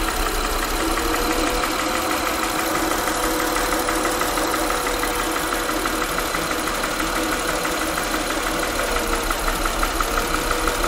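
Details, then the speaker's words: Honda Pilot V6 at idle, microphone close to engine: steady light ticking about three per second; noise persisted with each cylinder unplugged, and pulse-sensor timing points to cylinder six exhaust/intake valves, suspected valve lash needing adjustment. "so here we are at a honda pilot you probably hear a little bit of that knocking let's see if i bring my microphone a little closer but with this little shop main pole sensor we're gonna go ahead and see if we can't figure out where that noise is coming from"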